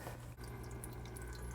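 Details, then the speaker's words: Aquaclear 50 hang-on-back filter on a 29-gallon tank, running with a dirty sponge pre-filter: a soft, steady trickle with a low hum and no rattle or gurgle, quieter than the owner's Aquaclear 30. Normal quiet flow. "Now my Aquaclear 30 is the louder one, and it's interesting, they used to call this Fluval, so this is the Fluval 30, and now I guess they got rid of the Fluval name and it's just simply Aquaclear."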